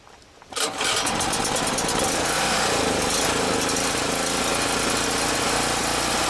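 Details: Champion generator, no-start after storage, carburetor fuel metering part refitted: cold start on choke catches within a second, steady even buzz, no surging; owner suspects fuel distribution issue or bad fuel.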